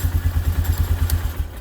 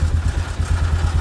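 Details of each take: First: 1998 Polaris Sportsman 500 4x4 running after the white-and-black kill wire was cut, fixing a crank-no-start; 4x4 working. Even single-cylinder thumping about nine beats a second, no misses; normal idle. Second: 1998 Polaris Sportsman 500 4x4 with the white-and-black kill wire unplugged to cure crank-no-start: single cylinder putters at steady idle and keeps running with the key off or removed; engine won't shut off by key.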